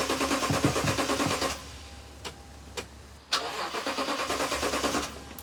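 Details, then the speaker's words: 2010 Toyota Tundra 5.7L V8, 153,876 miles, former police unit that sat about three years: two bursts of brisk, even cranking with no firing, even with starting fluid. Owner suspects no spark, possibly the fuel pump. "Even when I sprayed starting fluid directly into the intake, it does not start. I'll hit the key so you could hear it turn over."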